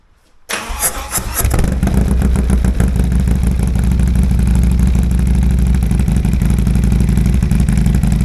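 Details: 2022 Harley-Davidson Road Glide first start after installing Cyclerama CR483 cam, oil cooler fan programmed via Power Vision; cranks, catches within a second, settles into loud, lumpy, even V-twin idle; normal startup and idle.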